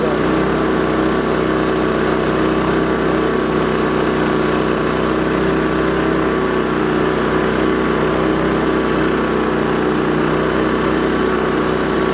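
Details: Champion 3400-watt dual-fuel generator, battery electric start, measured for noise (rated 59 dB at 23 ft) beside the unit: steady, even engine drone with no surging, misses or knocks over twelve seconds; normal running.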